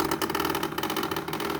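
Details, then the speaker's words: 2021 Samsung fridge ice maker, unused and empty, keeps whirring even when switched off: continuous mechanical whirring with faint rattle from the mechanism. "so i am getting noise from this ice maker here i don't have ice in it i don't use it i don't use it for ice it's making noise"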